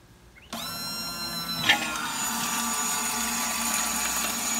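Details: Pontiac GTO's stock fuel bucket fitted with an Aeromotive 340 electric fuel pump, bench-run off a jump box with about two gallons of fuel: a steady high motor whine settles into an even rushing hum as it pumps normally, flushing black carbon-filter debris.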